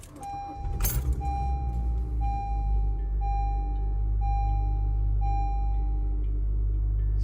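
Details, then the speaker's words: 2014 Honda Civic after replacing ignition coils for P0302 cylinder 2 misfire and clearing codes: starts and settles to smooth even idle with steady chime ticking over it; no stumble, fixed. "far so good we're good to go easy fix all right that's it easy fix"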